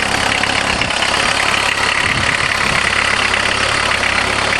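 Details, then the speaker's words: Diesel conversion caravan with Jetta engine, cold idle right after priming the empty injector pump with hand-pressurized diesel: steady, even diesel clatter, no misses or knocks, just usual cold-engine noise; running fine. "Perfect. They sure are noisy when they're cold."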